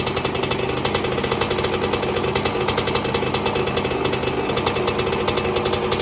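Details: 2002 Yamaha YZ125 two-stroke, first kick-start after top-end rebuild for failed rings, backfired once: crisp, rapid crackle with even, steady firing pulses and no knocks or misses; engine running healthy.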